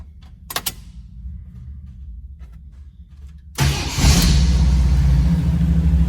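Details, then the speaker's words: Frame-off restored 1984 Jeep CJ7 start-up: engine catches quickly and settles into a strong, even run with a rev blip; starts easily and sounds healthy. "She starts very nice and easy."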